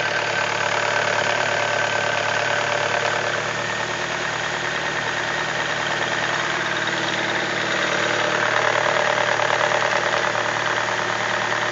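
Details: BMW E46 318i at idle: a steady idle with a busy ticking, rattly chatter riding over it, fairly constant throughout. The owner asks what the strange engine noise is; the cause is unknown.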